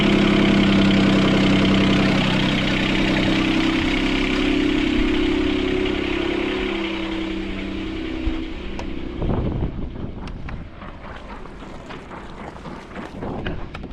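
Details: Sailboat port engine after repairing four engine mounts snapped by a submerged log. It holds a fast, steady idle well above normal, then winds down; the idle is too high from a throttle cable bracket bent when the engine jumped 3-4 cm.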